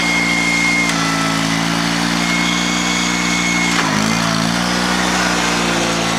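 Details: Honda 3813 liquid-cooled lawn tractor, transaxle clutch without its damper: a steady, even drone dips briefly as the clutch bites, then recovers. The engine runs cleanly.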